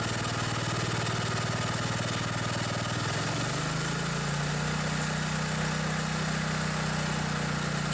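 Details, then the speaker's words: Old riding lawnmower engine after sitting too long, settling from a lower beat into a faster even drone; runs good, throttle set a little high. "that one runs good too the throttle set a little bit high but all in all good shape"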